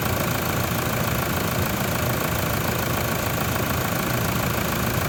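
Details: Toyota Prado diesel idling after an alternator replacement, with a voltage booster diode fitted: steady, even clatter with no knock or squeal; healthy idle, charging at 14.52 V and slowly rising.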